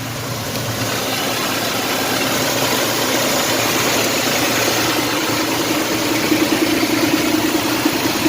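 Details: Mitsubishi Montero after replacing the fuel pump for long crank times (fuel pressure bled down quickly through the pump check valve): engine settles into a steady, even idle with no misses or stumbles.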